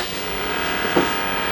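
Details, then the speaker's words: Tesla Model S with original LDU rear drive unit, waking up as the HV interlock and battery are reconnected: clicking, buzzing, steady whir and hiss, coolant sloshing around; normal power-up sounds. "And the car is coming back to life. You can hear it clicking and buzzing and stuff. The coolant slashing around,"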